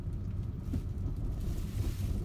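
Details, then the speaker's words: Honda CR-V/Element 4WD during full sharp turns: low rumbling, shuddering groan from the rear differential, caused by old differential fluid, fixed with Honda Dual Pump II fluid change; rear differential groan from old fluid. "That noise on the full turns means your differential fluid needs to be changed."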